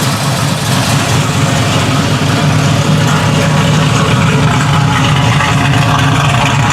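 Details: 1967 Chevrolet Camaro, 327 small block bored .030 over, Edelbrock high-rise intake, Holley carb, headers with Flowmaster exhaust, 350 Turbo transmission: loud, throaty, slightly loping idle with no knocks or rattles; healthy modified V8, normal idle.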